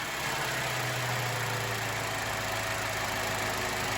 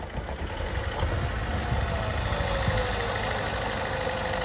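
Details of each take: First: 2012 Chevrolet Cruze 1.4 after engine replacement (old engine had no compression on cylinder 4), first start: steady, even idle with smooth low hum, no knocks, misses or rattles; healthy. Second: 2012 Chevy Cruze 1.4 with no compression on cylinder 4, idling with no throttle, engine light flashing: uneven stumbling idle with a lumpy beat about four times a second, barely revs; misfire from dead cylinder.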